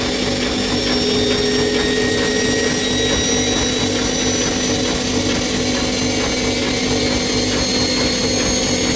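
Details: Bosch Maxx 6 washing machine after motor bearing replacement, drum bearings still good: loud steady rushing roar with a faint rhythmic throb and a high whine at full spin; loud drum noise at high speed, which the owner believes means the drum is broken.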